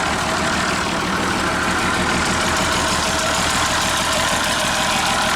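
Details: 1957 Champ forklift started in neutral. Holds a steady, even idle with a smooth rumble and no knocking, ticking or stumbling. Normal idle.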